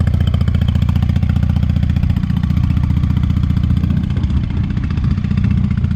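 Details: 1998 Honda Shadow 750 ACE V-twin, sat over 5 years, running after carburetor cleaned and refitted: very loud open-pipe thump, about four beats a second, uneven in places; owner suspects fuel issue, possibly gas starting to go bad.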